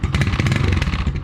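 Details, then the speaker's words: Motorcycle (single-cylinder) after a major service with the carburettor cleaned and a new battery, started in the morning: quick, uneven clattery ticks over a steady idle. The owner says something toward the back is rattling and still needs assessing. "there's a bit of a rattle in the back here like you'll hear it"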